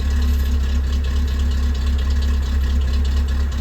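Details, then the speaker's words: 2008/2010 Suzuki Jimny, after cooling-system work: deep idle beat fluctuating around 500–600 rpm instead of holding steady; hunting idle, suspected air leak or dirty idle air control valve, dealer had blamed the ECU. "You can hear it's varying the idle."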